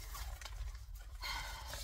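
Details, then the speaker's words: Mitsubishi LS2-130 sewing machine with size 18 needle and bonded nylon thread, high chirpy squeak coming and going while stitching a tote; squeak develops after a while of running, dry spot suspected to need lubrication. "I also need to get WD-40. Hear the squeak?"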